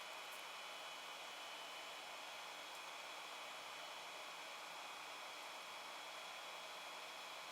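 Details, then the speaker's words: Creality Ender 5 Plus 3D printer, cooling fan switched on via "cool down" menu during initial setup: steady soft airy whoosh with faint even hum, no ticking or rattle; fan runs quiet and healthy. "let's press cone cool down it's gonna say yes fun i heard a fan come on so it's pretty quiet i'm pleased with that noise"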